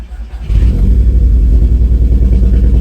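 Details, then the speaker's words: Scirocco R that sat with a dead battery, started and left idling: lumpy, uneven idle; the live misfire counter shows only cylinder 2 misfiring, so heavily that likely no combustion happens there. "yeah she still misfiring after I let the engine idle for a bit I decided to start my life misfire counter on every cylinder to see where the misfires are coming from and as you can see only cylinder number two is misfiring"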